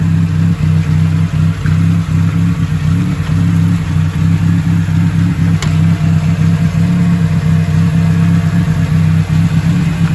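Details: Nissan Sunny B11 sedan with genuine carburettor, just started: smooth, even low idle holding steady for the whole stretch, no knocks, ticks or hunting, and no coolant pressure or steam; normal idle, engine sounds healthy.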